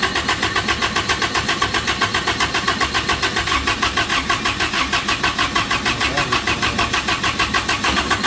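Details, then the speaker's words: Toyota-engined Samurai rock crawler on a new propane kit: steady starter cranking about five beats a second, never catches; no-start from a manifold plug left out while installing propane fittings, leaking vacuum. "my night of stupidity is continuing so I'm I've been in a hurry tonight trying to get this thing to fire up and in that I'm missing a lot of stuff"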